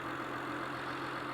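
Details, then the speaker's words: Honda/Acura on an ice-cold start after replacing ignition coils and cleaning the throttle body: steady, quiet idle with an even low hum, no shake, stumble or ticking; much smoother and quieter than before, when it vibrated at stop lights. "for my from my perspective it definitely quiet down the motor a lot it definitely sounds like it's iding a lot a lot a lot smoother it just sounds ni [Laughter] nice"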